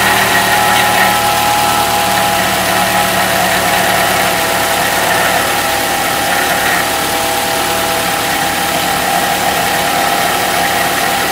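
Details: Engine noise heard only on cold mornings: even idle with a thin high whine and light rapid chatter that disappears about 3 minutes after the car warms up; cause unclear.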